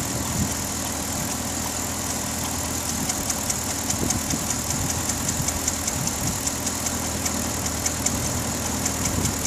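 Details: 2009 Pontiac G8 GT at steady idle with a fast light ticking, about two or three per second; owner suspects the known G8 lifter tick, unconfirmed.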